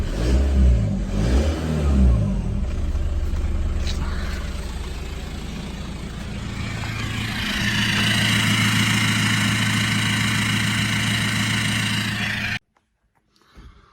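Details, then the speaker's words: VW Passat B5.5 1.9 TDI PD130 (AWX) turbo diesel, just after turbo replacement: clean rev from idle rising smoothly and settling back without whistle, flutter or hesitation; turbo change successful, running sweet. "I don't know if you can hear me, but it's all running now."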